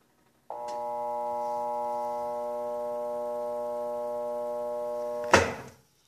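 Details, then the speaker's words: Electrolux washing machine that makes noise but won't spin: steady electrical hum about five seconds with no spin-up, then a clunk; motor tries to start but stalls. "vocês perceberam que ela começou a arrancar o motor mas não geou vou fazer isso novamente"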